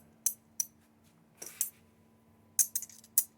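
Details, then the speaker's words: 2019+ Acura RDX sunroof wind deflector being lifted from its channel: sharp, light plastic clicks and ticks in irregular bursts. This is the sunroof rattle, caused by the deflector material shifting in its channel. "exactly the sound that we were having"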